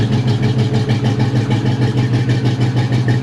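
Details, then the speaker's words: Neglected SVT Cobra just revived, starting on its own with oil checked: lumpy, loping idle about three beats a second with a busy top end. Owner suspects a dead miss or a valve problem and says it sounds like a fat cam; not confirmed. "She's definitely not running the best. You know, let's be honest, we're not keeping this thing. And I don't know if I feel comfortable enough to try to drive it with it running like that."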